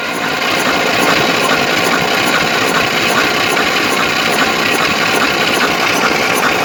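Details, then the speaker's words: Moskvich 2140 engine that misfired, knocks, has water in cylinder 2 and oil in 3, and now starts badly: slow, labored uneven cranking during homemade-gauge compression test reading 4, 2.5, 4.5, 6. Low uneven compression. "Перший 4, другий 2,5, третій 4,5, четвертий 6. Ну що, далі вскриття, будемо дивитися, що случилось."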